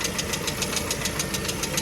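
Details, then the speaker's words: Engine revved: sharp, evenly spaced ticking about seven per second over the engine, a knock from inside the motor, source unidentified. "Что за стук такой? Что тут стучит?"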